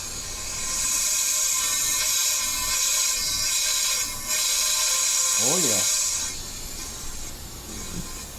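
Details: Sea-Doo engine on leak-down test, compressed air into cylinder: steady loud hiss past the exhaust valve seat, intake barely leaking; exhaust valve leak, said common from water-box moisture.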